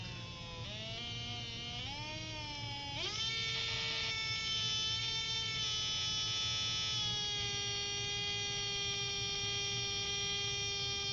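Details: Small DC motor on a 9-volt test circuit, finger drag released from the shaft: whine climbs in a few steps, then holds steady as voltage returns to normal; normal running speed.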